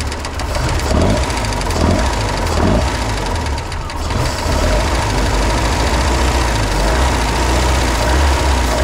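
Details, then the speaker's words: Budget boat engine on water hose, after a repair attempt: heavy knocks coming and going about once a second over a steady low idle, deep bottom-end knock; owner thinks a bearing or two were re-destroyed. "Alright guys, I'm sure you could hear it on the video, but the ticking came right back and it turned into a knocking and it's coming and going, so I think we re-destroyed a bearing or two."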